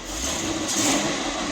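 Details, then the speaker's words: Ford F100 truck with Lincoln Town Car exhaust, heard from inside the cab at idle: soft, steady hum, no knocks or ticks; quiet, smooth, healthy idle. "Very quiet. I left the Town Car exhaust on it, that way she was nice and quiet and smooth when we were cruising."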